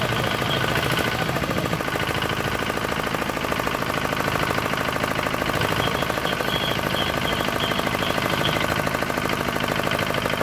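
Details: D10 R190 single-cylinder diesel, brought in for hard starting and a horn-like chirping noise behind the rear cover; two bolts on top tightened, now starts easily and runs crisp. Dense, even clatter holding steady, no misses or hunting.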